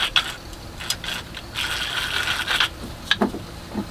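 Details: Sailboat's pina colada blender after freeing seized bearings: irregular dry clicks and scraping grind as the mechanism turns, uneven and catchy rather than smooth; not quite how it should sound but it works.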